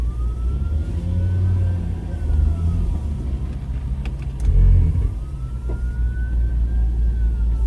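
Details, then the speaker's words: 5.0L L322 Range Rover, towed in with air suspension trouble and a reported grinding noise: engine revs flare while pulling away with little drive; the automatic transmission feels like it's slipping in first gear. "interesting so it does move but the trans feels like it's slipping in first"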